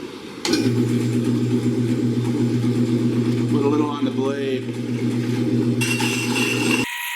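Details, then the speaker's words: Delta wood-cutting bandsaw converted to cut metal, with a gravity auto-feed (10-pound weight on a nylon rope) and cutting fluid on the blade: an even low motor drone with a light rasp through the metal, no stalling or chatter. It cuts smoothly. "Well, that works great."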